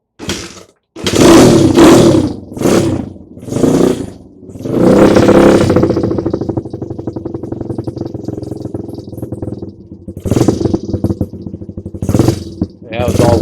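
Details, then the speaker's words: Rescued Honda CRF100, cold and not yet warmed up. Sharp throttle blips rise and drop cleanly, then a steady single-cylinder idle with idle raised. Engine running properly. "Yeah, bring the idle up. But yeah, sounds pretty darn good."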